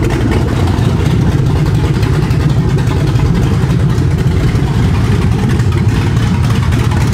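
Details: Ford 7.3L Godzilla V8 swapped into S550 Mustang with MT82 manual, first start: deep, steady V8 rumble with rev blips, firing evenly on every cylinder with no knocks or misses; runs healthy.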